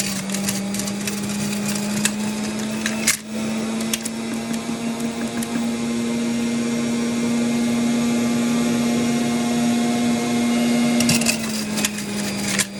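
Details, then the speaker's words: Juicer steady motor hum near 200 Hz with scattered sharp cracks and rattles as cherries with pits still in them are ground up inside. "And if you guys can hear, my cherries still have pits in them, so you can hear them grinding up in the machine."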